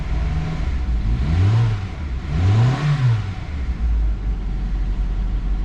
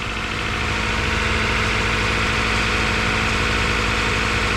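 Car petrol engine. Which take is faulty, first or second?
first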